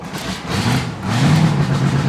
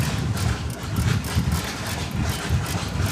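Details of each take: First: 2021 Chris Craft Stinger 222 boat with Mercury engine, first start of season at night after cleaning a dirty ignition-circuit fuse (now 11 volts): even, steady low idle with no stumbles or knocks, firing cleanly; normal idle. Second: 2021 Chris Craft Stinger 222 boat, first start of the season after fitting freeze plugs: lumpy engine thump surges unevenly, runs about 20 seconds, then cuts out and all voltage is lost; rough running and stalling.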